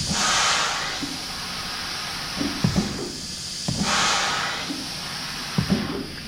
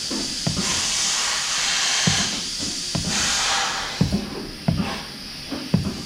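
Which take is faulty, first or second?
first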